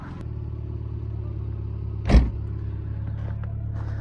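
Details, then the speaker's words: 2003 Subaru Impreza Bug Eye, base model, 5-speed, bought cheap, idle test: low, even flat-four rumble at steady revs with one brief clatter, no ticking or knocking; sounds like a normal stock boxer, possibly slight front pulley noise. "Well, you know, it sounds like a Subaru. A stock Subaru. So I'm happy."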